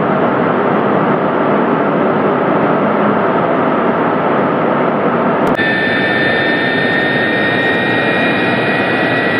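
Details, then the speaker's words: Jet turbine engine run up to maximum power in the shop before a turbine blade lock demonstration. Loud steady roar, then a clear high whistle appears as power rises, smooth and even. Normal running at power; blades are held in place under operation. "Gonna crank her up to maximum power, bring her back down, and then I have a little demonstration in the back of the engine where we will explore just what the turbine lock strips are needed for if the blades are locked in place under operation."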